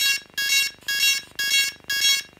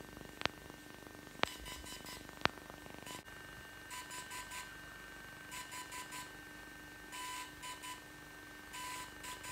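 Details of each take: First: DJI Phantom 3 Professional drone beeping nonstop in sharp high-pitched tones about twice a second at power-on. Firmware was corrupted, probably because the drone was switched off before the update finished. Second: DJI Phantom 3 Professional during a proper firmware update: short bursts of three or four quick beeps repeating every second or two, gimbal light flashing red and green; normal update signal.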